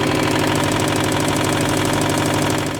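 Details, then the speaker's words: 2015 Subaru WRX STI EJ257, auction car, OEM short block replaced 8,000 miles earlier, after new oil, plugs and battery: loud rapid steady metallic knocking in time with engine until shutoff; spun rod bearing, rod knock. "New oil, new spark plugs, new battery, and I topped off all the fluids just for the engine to sound like this. Oh no!"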